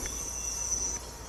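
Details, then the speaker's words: Classic Bricklin A/C recharge with the engine off, can upside down, feeding liquid refrigerant into both the high and low sides. Steady high hiss with a thin constant whistle; normal charging flow. "We're going to put it in both the high and the low side in liquid form and try to get as much out of this can as we can possibly get out."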